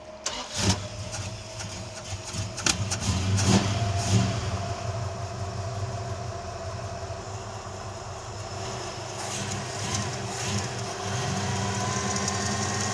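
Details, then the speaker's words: Plymouth Duster on a hot road trip, started with the idle set too fast: the engine catches and settles to a fast idle with a steady thin tone riding over it from a junk idler pulley bearing on the belt. Idler pulley bearing noise. "There's a new noise. What is that? There's a new noise. >> And it's the idler. Oh, that bearing's junk."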